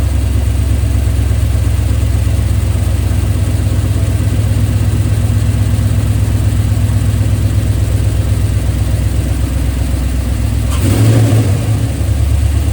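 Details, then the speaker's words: 2003 Chevrolet Silverado LS6-intake V8 after replacing soft intake gaskets. It had run rough and set a MAF code. At fast idle a sharp pop around eleven seconds marks a startup backfire, suspected from intake leak or vacuum cap. "Also with that vacuum cap, with the intake leaking, it could have backfired. You heard it backfire in startup. That's the issue I was having."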